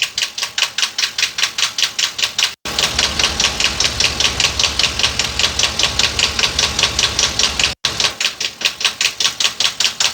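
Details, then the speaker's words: 2022 Ford F59, 7.3 L gasoline V8 with P0300 misfire, heard through a probe at idle: sharp, even ticking about 2.5 per second located at cylinder 3, the cylinder misfiring most; camshaft suspected, not confirmed. "Bueno, aquí está el ruido en el cilindro número 3."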